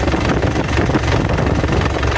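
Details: Isuzu Panther LV 2.5 turbo diesel (2010), fairly warm, at idle: steady, even low diesel beat with no misses or knocks; no blow-by at the oil filler, engine healthy.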